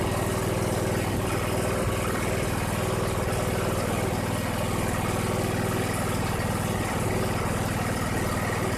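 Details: 2001 Cub Cadet 3184 tractor, Kohler CH18S 18 hp OHV engine, 848 hours, after tune-up and a new voltage regulator reading 14–15 V: even idle with a smooth low beat around four per second, no misses, knocks or hunting; a normal idle.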